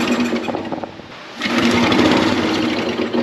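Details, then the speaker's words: Dad's old concrete mixer engine, long unused, pull-started: ragged uneven popping bursts about three a second that never settle; owner suspects it runs only on starting fluid with fuel not reaching carburetor, maybe stuck float. "She's probably running off the starting fluid, which means we might not be getting fuel all the way in there, but I don't smell any fuel."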